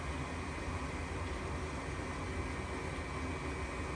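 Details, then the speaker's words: Goodman furnace flashing 3 blinks (open pressure switch), restarted; inducer motor runs with steady fan whoosh but no igniter click or burner light-off, still giving 3 blinks. Pressure switch stuck open. "Inducer motor is on. Now we should wait for the igniter and the gas bulb, and we should be good."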